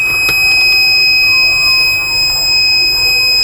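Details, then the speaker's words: Microtek inverter: output works but it won't charge from mains input, even after supply change; steady piercing high-pitched warning buzz sounds. No AC point at the sine-wave red main wire; cause not yet confirmed. "देखो supply हमारी change हो गई है, लेकिन हमारी फिर से charging नहीं आई है और फिर से वही प्रॉब्लम शो हो रहा है।"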